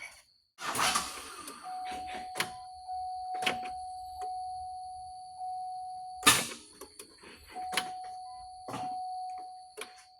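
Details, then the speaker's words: 2007 Cadillac Escalade after power steering pump and hose replacement, battery drained from weeks sitting after being disconnected; only warning chimes and dull clunks, no starter cranking; no-crank from dead battery. "Okay, we ain't gonna do nothing because we got a dead battery. I forgot about that."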